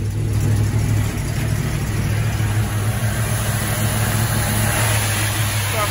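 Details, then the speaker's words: 1978 Plymouth Volare Super Coupe petrol engine, restarted after 3-5 years not running and a decade of prior sitting; after freeing a sunken carburetor float, it idles with a steady, even low rumble, no misses, knocks or hunting: normal idle. "runs beautiful this car is like new perfect"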